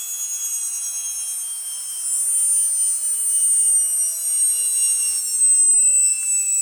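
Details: Atlas launcher gyro rotor on spin test, fed 115 V AC across terminals A and B via a 270 nF capacitor: a steady high whine with faint lower tones drifting slightly in pitch and no low end, very noisy at full speed, cause unknown.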